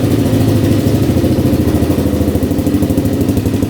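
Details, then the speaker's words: 2003 Kawasaki KFX400 quad, four-stroke single: even low thumping idle at a steady beat, no knocks or rattles; sounds healthy. "That one's working too. Sounds good. Sounds really good."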